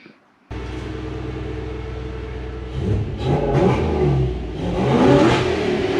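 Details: Toyota 1UZ V8 swapped into a Toyota Hilux Xtra cab, just refitted and running after fuel pump priming; catches after a short silence, holds a smooth steady idle, then revs cleanly and freely: normal.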